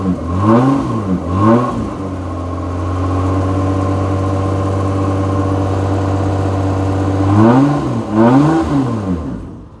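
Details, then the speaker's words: 1995 Mitsubishi FTO GR not started in over 10 years, broken rear exhaust: clean blips, then smooth steady hold at raised revs and even return, no knocks or misses; sounds healthy. "She sounds nice, not going to lie."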